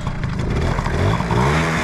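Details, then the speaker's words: 1981 Honda Motocompo, seat raised to release the kill switch: small two-stroke catches on a single kick and climbs into a buzzy rising rev without stumbling, a clean healthy start. "now that we have the seat up put this back on on and it should start on one kick"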